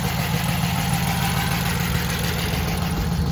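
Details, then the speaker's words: Worn engine running on a jump box: low, uneven, lumpy idle around three beats a second with a dull rattle underneath; the motor is confirmed done. "Well, I guess they wasn't lying when they said the motor was done."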